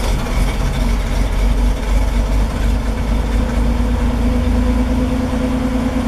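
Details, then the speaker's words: 1973 Toyota Land Cruiser FJ40 petrol engine on a cold start after two pedal pumps, choke fully out: it idles low with a lumpy, sputtering beat that smooths as the choke is pushed in. "so with it idling with the choke fully out um oh I got to turn the switch on you can hear how it's sputtering on itself once it fires up you slowly want to push this in until it Smooths out"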